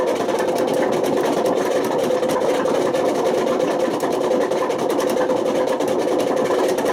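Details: Washing machine on high spin with failed drum bearings: a loud continuous rumbling roar with a gritty edge throughout. The bearings were bad enough to damage the spider and cause excessive motor wear.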